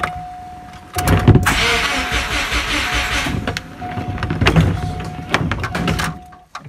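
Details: Subaru Impreza 2.5RS GC8 with swapped-in WRX EJ205 engine and merged harness, first startup: long starter burst, engine turns but never fires; no fuel pump prime heard because a connector wasn't fully plugged in.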